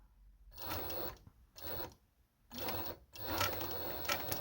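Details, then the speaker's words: Necchi 831-101 walking-foot machine with new 550W servo motor sewing two layers of jeans, 130 needle, minimum speed, 4 mm widest seam: short bursts of fast even needle chatter with clean stops; normal sewing. "Now we are sewing two layers of jeans. [snorts] This is the sound of the motor. And this is the speed. This is the minimum speed which I use."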